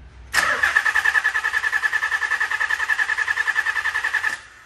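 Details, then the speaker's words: Nissan Z32 with Haltech Elite aftermarket ECU, ECU fuse supply ~11 V: even starter cranking that never catches from insufficient ECU supply voltage; starts right up with 12 V from battery, fix is a dedicated relay and fuse. "so you'll see it just cranks cranks and cranks so if we if we supply 12 volts from the battery using the power probe okay go ahead marco starts right up"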